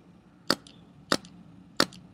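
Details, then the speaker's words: Paintball marker (DM) while the LPR is set: three sharp single cracks about 0.6 s apart with a faint echoing tail; bolt kicks back but short-cycles, stuck in the breech, because LPR pressure is still too low. "There we go. The bolt kicked back, but the bolt didn't go back all the way. Now, as you can see, it's a really weird sound, meaning it's not cycling all the way"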